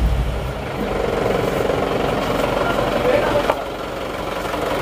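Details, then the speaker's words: Panther Turbo diesel that previously ran away (after losing radiator coolant, two scored liners, heavy blow-by carrying oil vapour), restarted after reset: catches immediately and settles into steady, even idle clatter; normal start and idle. "Oke teman-teman ini akan langsung kita starter kondisi wiper sudah kita kembalikan ke posisi asal langsung nyala teman-teman"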